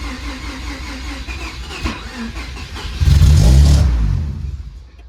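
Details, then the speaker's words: Mazda RX7 after long storage, airbox off, starting attempt after swapping a part back in: cranks, catches with a brief loud burst, then dies; owner thinks it may be flooded and suspects a weak used fuel pump, cause unconfirmed. "I'm pretty sure I flooded it trying uh so I think it might need a fuel pump it sounds kind of weak and whatnot"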